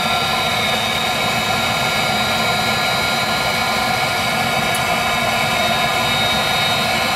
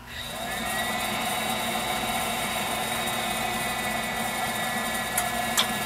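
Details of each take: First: Viessmann Vitodens 200-W WB2B35 condensing boiler, about 5 years in service, in its intermittent hung failure state with no fault code: only a constant fan hiss and steady whir, no burner roar building; the burner won't light while the circulator pump keeps running. Cause unknown. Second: Viessmann Vitodens 200-W WB2B35 condensing boiler, about 2011, about five years in service: fan hum settles into steady even burner roar with faint late clicks; clean ignition and normal running before an intermittent no-code non-heating fault.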